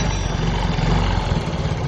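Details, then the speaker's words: Yamaha Mio J scooter that often stalls, with an idle that rises and falls on its own despite an earlier ISC repair: a throbbing idle that swells and dips. A swollen lower intake hose leaks air, and pressing the hose steadies it. "Nah, masalahnya ini terasa udaranya itu tidak stabil karena selang ini sudah mengalami pemuaian."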